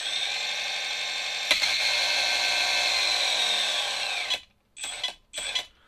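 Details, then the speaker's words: RC crawler with a new outrunner motor and drag brake, on a stand: high, steady whirring hiss in short stop-start bursts, mostly the driveshaft rubbing on plastic; motor itself quiet. "Most of that noise is the drive shaft rubbing on plastic."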